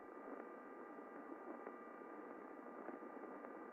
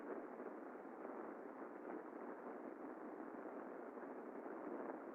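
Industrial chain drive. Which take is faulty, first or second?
second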